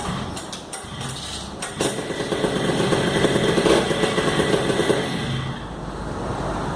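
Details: Monster Plus paramotor two-stroke after a fix for the starter spring not engaging on the pull: uneven start gives way to a rough but continuous burble that keeps running on its own; the engine starts and runs normally.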